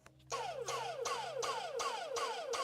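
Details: Dyson motor run on a bench supply, suspected of hitting over-current protection: surges and cuts out about three times a second, each burst whining down in pitch; repeated stutter, cause not confirmed.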